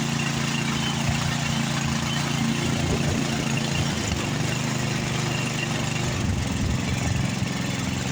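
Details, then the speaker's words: Like-new Craftsman snowblower running with the auger engaged under load: the small engine's beat rises and falls faintly. A carburetor jet that could not be removed is thought partly blocked; mild surge persists. "okay it's got just the slightest hint of a surge in it CU we couldn't get that jet out"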